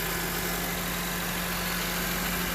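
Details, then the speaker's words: Honda CR-V 4-cylinder after serpentine belt replacement: smooth, even idle with a low steady hum and no belt squeal or chirp; normal idle. "I'm going to go start it up. There you go. Quiet as a mouse."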